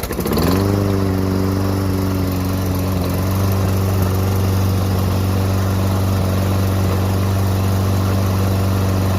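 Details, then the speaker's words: Toro Recycler 22 walk-behind mower after replacing the drive cable: pulls over, catches and settles into a steady, even small-engine drone with no misses or rattles; runs normally. "all right so our new cable is working fantastic back to normal"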